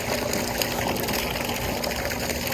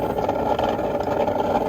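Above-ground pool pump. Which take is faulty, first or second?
second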